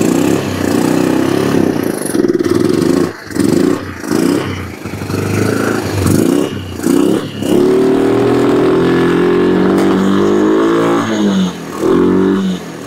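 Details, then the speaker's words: Kawasaki Bayou 300 ATV after carburetor cleaning, running on an aftermarket carburetor with no smoke: revs up, then sags and nearly dies with an uneven, surging beat. Owner suspects the intake boot or a sticky intake valve. "it's running don't smoke don't run the best I've seen well aftermarket carburetors"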